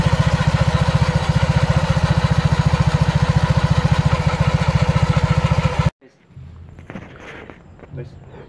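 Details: Honda PCX scooter with Yamaha Aerox pulley, after 6000 km, idling after CVT wash to dry the open CVT: steady even putter about 214 beats a minute until switched off; smooth healthy idle.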